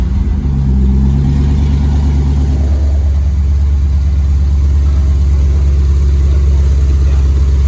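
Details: LS Fest car with a new Flowmaster U-fit stainless dual exhaust, Hooker Blackheart mufflers and the electric cutouts open. A deep V8 burble climbs through quick blips, then settles into a heavy, even drone. Normal revving.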